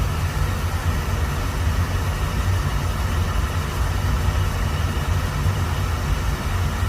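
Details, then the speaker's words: Beckett oil burner after replacing the nozzle with a .85 GPH 80° solid-pattern nozzle (machine had been acting funny): steady, even low roar, no surging, pulsing or rattles; normal running. "think the nozzle is fixed. I think it should be fine. The machine sounds much better too though. Got a better nozzle."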